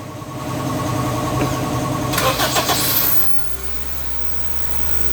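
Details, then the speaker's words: Honda CR-V Gen 2 that had only clicked without starting: starter whirs briefly, fires within about a second on one click, then settles to a smooth steady idle; normal start, no hard starting. "So wala naman siyang hard start. Ang nangyayari sa kanya hindi siya hard starting."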